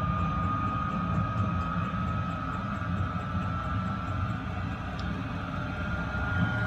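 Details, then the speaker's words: Diesel air heater on red diesel, 12 V battery on a charger, blower on full, just after ignition with warm air coming from the duct: a steady, even blower whir with a faint high tone over a soft low rumble. Normal running. "it's just ramping up now you can hear the uh the blower in the motor it's just changed tone it's ignited I've got warm air coming out of the duct"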